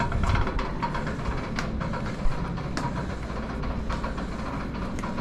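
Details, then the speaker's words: 1963 Chevrolet C10 with 230 high-torque engine, rear wheel spun slowly: repeating clack about twice a second over low rumble; something loose or worn in the rear axle/rear end. "I don't know something don't sound right in there spin an out"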